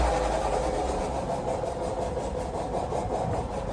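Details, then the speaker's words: 2019 Renault Arkana, 111,000 km, JF015E CVT: steady mid-pitched hum over the idling engine, present driving and stationary, gone in reverse when the input shaft stops; failing bearing, steel and aluminium shavings in pan; engine also misfiring. "движение автомобиля сопровождается гулом на входной диагностике автомобиль Renault arcana пробег 111.000"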